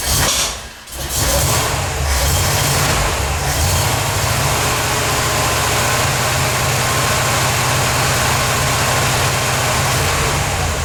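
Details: 1977 Corvette V8 first start after over 6 years, fresh super unleaded, leaking fuel filter gaskets snugged: short crank, then a low uneven lumpy idle that never smooths out; rough idle; fuel leak remains, owner suspects an old hose.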